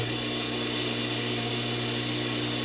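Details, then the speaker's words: Table saw induction motor after start capacitor replacement: noisy at start-up, then the centrifugal switch clicks and it settles into a steady smooth whir over mains hum, running healthy. "right so you can hear it's kind of noisy when it starts up and then you can hear it click and it gets less noisy that's the centrifugal twitch"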